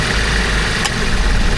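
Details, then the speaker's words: Toyota Commuter van with an aftermarket A/C compressor that had made a loud clacking when engaged: now idling with the compressor switched on, a steady low rumble with only slight engine shake on engagement, quiet and healthy, with no knocking or rattle. "เปิดคอมนะครับคอมทำงานครับผมเสียงเงียบเลยนะครับไม่เหมือนตอนแรกมาเสียงดังคาๆๆๆเลยนะครับเวลาเปิดแอร์นะครับ"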